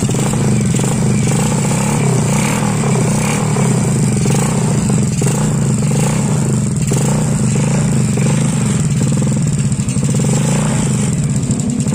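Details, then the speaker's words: Honda Supra X/Grand/Supra Fit single-cylinder after fitting a new magneto cover and topping up dried-out oil: steady low idle, even beat with no misses or knocks, holding stable speed; normal idle. "Oke motornya itu hidup lagi Alhamdulillah motornya hidup stabil lagi"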